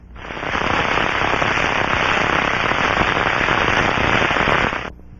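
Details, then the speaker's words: Bearing in an aircraft mechanical system heard through the Ultraprobe 2000 headphones: steady, dense crackling and popping with no smooth rush underneath, indicating bearing failure. "this is the Russian sound of a good bearing is heard through the ultra probes headphone crackling sounds indicate bearing failure"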